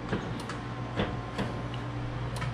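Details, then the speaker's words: Oven door lock latch repeatedly engaging and disengaging while the display flashes locked: sharp irregular clicks every half second or so over a low hum; latch possibly jammed, jiggling the lever fixed it once. "i figured out what it's doing the door lock latch is engaging and disengaging so it's locking unlocking locking unlocking and up here like you saw it was flashing locked"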